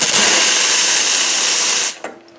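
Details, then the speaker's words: Grindmaster two-group espresso machine after rebuild with leaks fixed: a strong, steady two-second hiss from the second steam wand, then a clean shut-off with no sputter; working properly. "so everything's working as it should uh no more leaks everything has been resolved"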